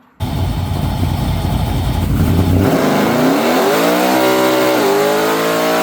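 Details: 403 ci 6.0L stroker LS with Scat rods, rebuilt in a honed-out block: big V8 burble, then smooth, steadily climbing revs with no knocks or misses; a healthy engine pulling cleanly.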